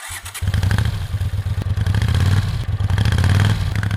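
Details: 1998 Yamaha Thundercat 600R (YZF600R) four-cylinder after its no-start was solved: a firm, even burble with a steady beat and no misses or knocks; starts and idles cleanly.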